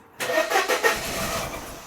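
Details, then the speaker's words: 1994 Mercedes W202 C180 after swapping crossed coil pack wires front to back: a few cranking pulses catch into brief sputtering firing that fades instead of settling; engine now spins freely but won't hold idle because it's misfiring. "So, why is it not holding the idle then? Because it's misfiring. That's what it is. Yep."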